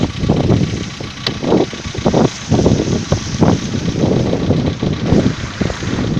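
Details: VW Polo Sedan 2015, morning cold start at idle: uneven, rapid dull tapping over the engine note, a light knock; owner asks whether it is piston knock, cause not confirmed.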